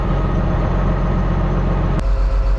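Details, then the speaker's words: John Deere 724J loader common-rail diesel idling during a cutout test: uneven, lumpy beat, and cutting cylinder two changes nothing; that cylinder isn't firing, with the injector or its wiring suspected. "Yeah, cylinder one's definitely making a difference. Here's cylinder 2 cut out as well."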